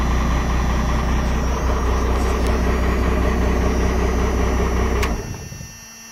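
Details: 12-valve diesel after cold start: heavy, even clatter at steady idle for five seconds, then clean shutdown; healthy cold start and idle.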